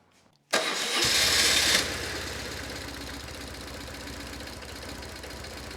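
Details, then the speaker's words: BMW R1150GS boxer at full operating temperature after an oil change: engine idles with a loud, fast, light ticking from the left cylinder, a top-end tap; previous owner had adjusted it himself, cause not confirmed. "So you can see now, with the engine all the way up to operating temperature, how loud that ticking noise is."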